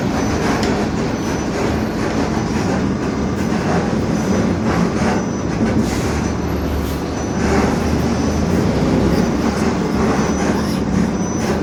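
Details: 2021 Marcopolo Torino S bus on Mercedes-Benz OF-1721 BlueTec 5 chassis, urban service: steady deep growl while running at road speed, from a noisy rear differential.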